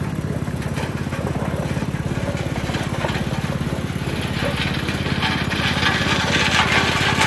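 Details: Western pavement roller, 8 hp Tecumseh single-cylinder, after replacing the varnished original carburetor with a new aftermarket one, running under load: even, steady firing beat that swells slightly as it pulls; smooth and healthy.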